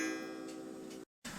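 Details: 8-day Black Forest Regula cuckoo clock after cleaning and oiling, with the hammer bent up to hit the gong properly: a clear gong strike rings out and dies away cleanly over steady, light ticking. Strike is properly adjusted.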